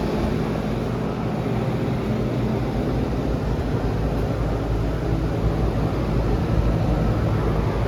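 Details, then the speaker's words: Outdoor AC unit during home inspection, heard outside: steady low hum and even fan rush with no rattles, squeals or grinding; runs exactly as an AC should. "make sure it's not making any strange noises yeah that sounds good that's exactly what an ac should sound like"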